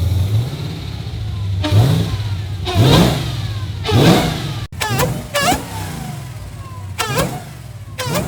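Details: Nissan 350Z with Hellcat V8 swap on its first start after sensor fix and reassembly: deep idle broken by sharp clean rev blips, no knocks or rattles; runs healthy.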